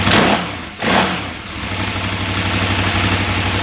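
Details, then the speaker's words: 2008 KTM 990 Adventure in neutral, three bars on temperature gauge, gear switch disconnected: quick throttle blip, revs settle back to an even 1450 rpm idle with no knocks or misses; sounds normal despite slight dip. "Everything sounds normal to me. Yeah, there the RPM dropped a little bit, but uh now it's back up to 1450. Nothing too unusual."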